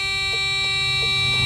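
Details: Freightliner FLD truck with Cummins M14 engine, ignition on and starter briefly pressed without running: a steady loud buzzer pulses in groups of four, three, four with pauses, reading flash fault code 4-3-4.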